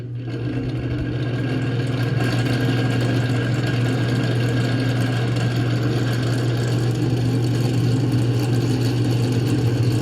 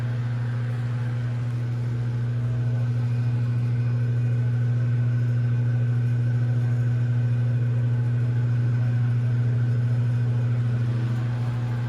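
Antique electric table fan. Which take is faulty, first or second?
first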